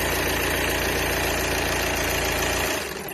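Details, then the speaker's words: 2013 VW Passat TDI after fixing accidental gasoline fill (driven only about 100 feet, fuel drained): cranked two or three seconds and started, even diesel clatter at steady idle, no stumbles, then switched off; normal idle. "it only cranked for two or three seconds before it burst right up and started right the way it's supposed to start"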